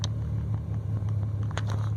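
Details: Irregular stumbles and loudness dips at idle on a BMW 335i cold start misfire, cylinder 5, sometimes cylinder 2, despite new spark plugs, coils and remanufactured fuel injectors.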